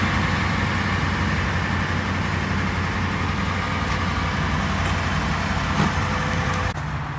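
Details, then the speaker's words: Dodge Hemi after replacing broken exhaust manifold bolts that caused the tick: even low rumbling idle with no ticking, manifold side sealed; normal idle after repair. "as you can see you cannot hear the ticking sound no more it's nice and quiet"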